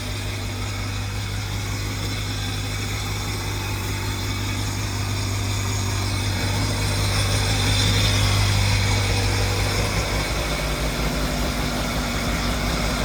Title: 2002 Sea Doo Sportster LE (951cc) first start after rebuild